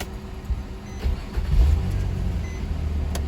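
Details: 2004 Nissan Maxima after crank-no-start/hard-start repair (connector reinstalled, codes cleared): brief starter whir, engine catches in about a second and settles into a steady idle, a clean quick start, no more hard start.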